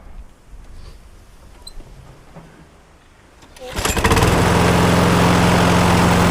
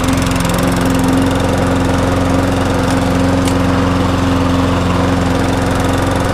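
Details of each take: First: 2009 Viking petrol lawnmower that hit a chain pulley while mowing, then knocked and shook violently; bent crankshaft suspected. Fires and settles into a rough run with a steady shake of about four beats a second. Cause: damaged blade boss. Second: Viking mulching lawnmower with a 5 hp engine: steady, even drone at constant speed with no knocks, misses or surging; running normally.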